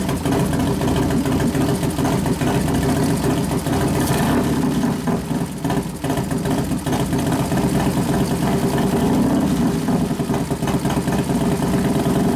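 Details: 1993 Harley FXR Evolution 89ci stroker, new build first start-up, air cleaner off: loud, lumpy V-twin idle with a couple of short throttle blips pulling cleanly and settling back, accelerator pump turned down a couple turns; healthy normal idle.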